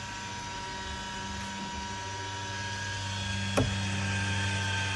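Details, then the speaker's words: Powrtouch caravan motor mover, automatic engage via handset (centre plus double-triangle buttons held): low steady electric motor drone with a faint building whine and one brief clunk as the rollers meet the tyres; normal engagement. "Keep the buttons held, you will hear the motor start to engage the rollers to the tyres."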